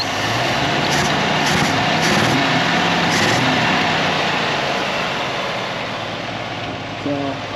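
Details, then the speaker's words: Old Jeep YJ couple weeks after carb rebuild, warming up at idle before driveshaft install: steady idle with slight unevenness that smooths out as it warms; healthy engine settling down. "We got it running and now I'm just letting it kind of warm up cuz we're going to try to move it later. First thing we got to do is get the uh drive shaft on it and then we'll see if she moves. So, check it out. Still running. Starting to smooth out a little bit."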